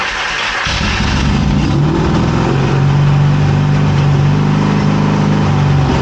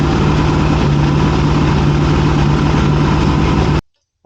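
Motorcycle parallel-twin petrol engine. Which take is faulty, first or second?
first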